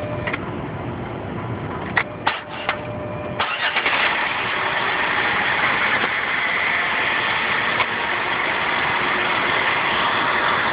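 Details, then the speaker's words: Jeep Wrangler that repeatedly won't start: several short cranking bursts, then catches around three and a half seconds in and settles into a steady, even idle; hard starting, cause unknown. "Friday, July 23rd. The Jeep will not start again."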